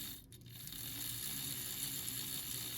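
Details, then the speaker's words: AHM/Rivarossi 2-8-2 Mikado model locomotive, unrun about 15 years, run in after oiling with synthetic oil, in forward, a little slower than reverse: light even high-pitched whir with soft gear chatter, no labouring; sounds healthy. "Honestly, it sounds healthy. It doesn't sound like it's really struggling at all."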